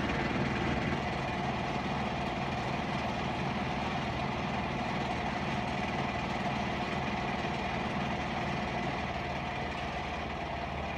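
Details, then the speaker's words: Whirlpool Duet front-load washer ramping into high-speed spin with a heavy load: even steady whir, faint rumble, slight vibration monitored by the vibration sensor, no knocking or scraping. Healthy normal spin. "And here it goes. Ramping up, you hear it? It vibrates a little bit, like it's a big load, because you know, like I tell you about the sensor for the vibration."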